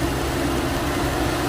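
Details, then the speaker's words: Infiniti G37/G35/Q40 engine cooling fan running nearly constantly at idle with AC off, coolant level good and not overheating; steady rushing airflow and low hum, louder up close, before replacing the cooling fan module. "it's not normal coolant is good feels good here see here we're getting louder ac sliming on it's not overheating you still hear it"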